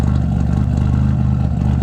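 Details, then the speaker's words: Car warming up at idle after RJC V-band exhaust gasket install: deep, steady idle rumble, no ticking or puffing at the exhaust; sealed, no more leaks, running a little better. "like the way that sounds there's no more leaks you know she's far enough a little bit better"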